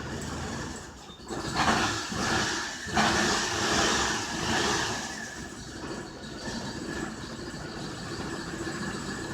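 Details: Chevrolet Colorado petrol engine idling unevenly, surging and sagging; rough idle appeared suddenly after running fine earlier.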